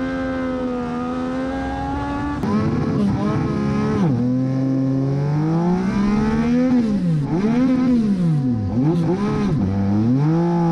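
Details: Race car at Charlotte on track before qualifying: engine note climbs and falls sharply through corners, revs flaring that the car doesn't follow despite the correct gear; driver suspects clutch slip, the major reason he couldn't finish the race.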